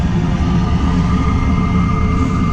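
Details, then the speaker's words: New gas power-vent water heater, PVC vent temporarily mounted, heard at the outlet: loud steady air rush, low drone and faint constant tone near 1 kHz, exhaust about a hundred degrees, not hot; slightly louder than expected, blower venting normally. "but otherwise you can hear the wind blowing out from that and it's worn I mean it's like hundred degrees not not hot"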